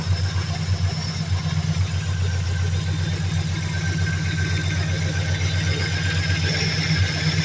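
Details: 2003 Mercury Grand Marquis LSE swapped with a 5.4 3V short block (11.7:1 compression), Trickflow heads and Stage 3 cams, GT500 windage tray, Cobra pickup and Melling high-volume oil pump: loud lumpy V8 idle with deep uneven bottom-end knock, rod knock.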